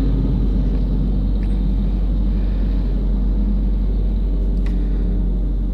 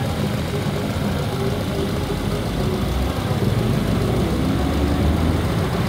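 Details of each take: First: Engine with a manual clutch, after a tune-up and after clearing codes P0171 (lean) and P2101 (throttle actuator) on a car whose whole body had vibrated: after starting, revs drop to about 1000 into a low, steady, even rumble with no misses, hunting or ticking; smooth healthy idle. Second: Engine at idle with codes P0171 (lean) and P2101 (throttle actuator), short-term fuel trim +34%, whole car vibrating: heavy, uneven, lumpy idle; large intake vacuum leak, later confirmed with smoke machine.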